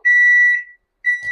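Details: Microwave that was not heating, after its faulty high-voltage capacitor was replaced: two clean high-pitched beeps, each about half a second with a short gap, as the heating cycle ends normally; food now heats.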